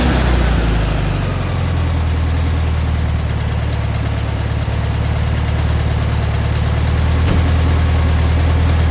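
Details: Air-cooled engine just fitted with an OEM Solex 34 PICT-3 carburetor idles with a steady, even putter at about 1,000 rpm, slightly above the 850–950 rpm target; idle needs lowering at the carb.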